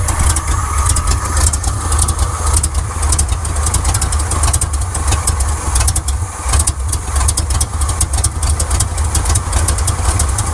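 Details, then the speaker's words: 1979 Chevrolet C10 while the distributor timing is adjusted: low, uneven idle that stumbles and surges, then dies; rough idle, timing not the cause, plugs suspected. "Well, that's not it. See, it was about in time as best it could be. Just died right there. Well, something is not kosher."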